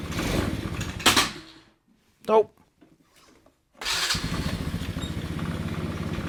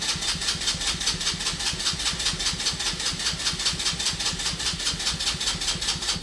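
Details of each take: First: Abandoned go-kart engine on fresh fuel after adjusting the idle speed and mixture screws: fires after a couple of pulls and settles into a steady, even chatter with no misses or hunting; runs normally. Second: Abandoned go-kart small single-cylinder, spark confirmed, running on starting fluid: quick fairly regular popping that fades as it fails to keep running; owner suspects water in the fuel, plans to drain tank.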